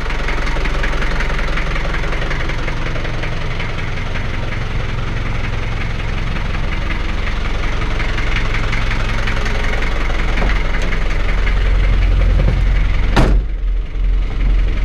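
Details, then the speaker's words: 1985 Daihatsu Rugger F75 long-wheelbase turbo diesel 4x4, a daily driver, idling after start: loud, even, deep diesel clatter with no odd knocks or misses; pretty loud but not obnoxious, runs fantastic. "give me an idea of what it sounds like idling it's pretty loud but not obnoxious it's like all engine noise and it runs fantastic"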